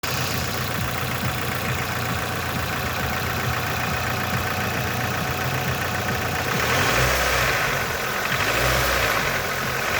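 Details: Nissan QG18DE engine at idle: steady idle with a light, somewhat irregular tapping of about three to four per second riding over it; knock of unknown origin.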